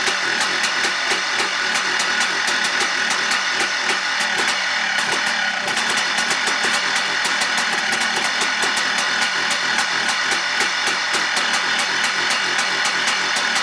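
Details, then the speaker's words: 2004 Yamaha Blaster with a freshly rebuilt engine, idling on its own after a screw was turned clockwise twice; buzzy two-stroke pop that never climbs in pitch; may just need to warm up; idles but will not rev. "it's idling on it by itself but it doesn't still doesn't want to rev i don't know if this just needs to warm up or what"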